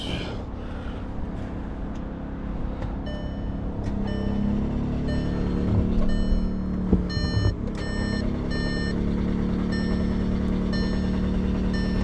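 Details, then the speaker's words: 2016 VW Tiguan push-start, crank no start, cranking on a booster pack: starter spins the engine at an even rate with a chime beeping, compression sounds okay, never fires; the camshaft isn't being driven. "Okay, just cranks. Compression sounds okay."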